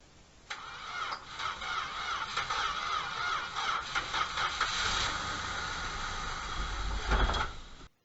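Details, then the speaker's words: 1974 Dodge Charger parked about 14–20 years in a field, cranked from the starter with seat belt interlock jumped: engine fires and runs rough, uneven for seconds then cuts off; owner suspects rusty starter solenoid, no radiator fitted yet. "so now the engine does start i think there's a problem with the starter solenoid which i'll replace it's pretty rusty"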